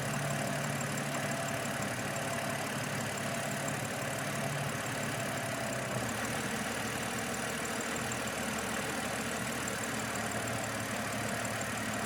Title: 730Li Rough Idle after Vanos recall 10.9.25